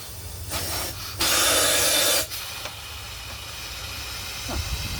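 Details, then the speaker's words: Marine steam engine at its first start attempt, never run on air, with known head leaks escaping from the bolt holes: a loud, hard hiss bursts for about a second over a low rumble, then fades. This is steam escaping from the leaking head. "It's got some head leaks. It should run on steam, but I'm not going to say it's going to."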